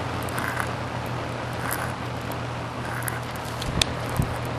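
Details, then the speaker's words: Toastmaster box fan, cleaned, on medium speed: steady low motor hum with an even whoosh of air, no rubbing or rattle, still blows quite a bit of air — normal running. "blows quite a bit of air. And here's the quiet speed low. Still blows a bit of air. Very quiet. There's a motor, just humming."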